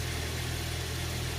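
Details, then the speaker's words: 2001 Jeep 4.0L six after a cold start at about 39°F, after Restore oil additive: smooth, even idle with steady rumble, no chatter or knocking; a little noise is from the clutch, which stops when engaged. "so right now it would normally be chattering quite loud my clutch makes a little noise I'll engage up so as you can hear it stop"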